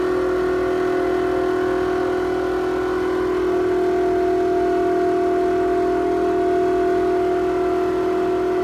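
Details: Toshiba exhaust fan in a restaurant toilet: loud steady drone with a sharp constant hum over a faint whoosh, audible down the corridor; abnormal humming noise, cause unclear.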